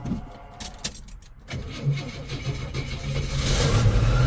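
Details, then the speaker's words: 1970 Chevelle, cold start: slow labored cranking catches into a lumpy idle that shakes like mad, then smooths out; badly in need of a tune-up, and engine mounts are so worn the engine rocks back and forth. "there you go it's definitely in need of a tune-up that's for sure [Music] there you go she smoothed out when this thing cold starts it shakes like mad"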